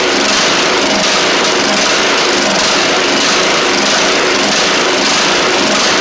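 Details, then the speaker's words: Troy-Bilt TB42 rider, Powermore 541cc single-cylinder, running on old gas: loud, high buzzing with a faint slow rise and fall in the note; good compression but it seems to need a carb clean, fuel delivery suspected, not confirmed. "So, it does sound like it needs a little bit of a carb clean or something along those lines, but the good news is it sounds like it's got what it needs. Good compression and everything."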